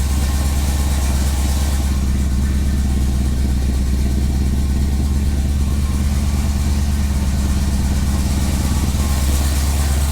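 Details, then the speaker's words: Firebird V8 after replacing ripped intake manifold gaskets that caused a big vacuum leak, and finding a broken spark plug: deep, steady burble at about 1000 rpm, even beat, no stumbling or hiss; warmed up and runs way better, a normal warm idle. "that's a thousand that's about a thousand that sounds way happier no driving vacuum leaks for good"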